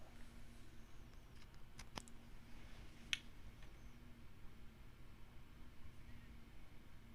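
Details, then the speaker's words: Electrical interference hum: monitor plugged into mains power ("doomslayer") leaks a faint steady hum into the mic in a quiet room, before switching to battery power, which reduces the whine; dirty mains power suspected. "okay so right now monitor is plugged into doomslayer you should hear a pretty significant hum"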